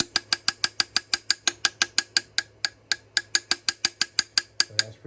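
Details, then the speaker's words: Jeep Trackhawk engine: sharp metallic clinks, about six a second, that follow engine rotation and get louder at higher rpm; a new crankshaft is likely needed. Rod bearing failure (rod knock). "So, telltale sign when you have a rod knock. What happens is as the engine rotates, the noise rotates with the engine. So if I go faster, you'll hear it."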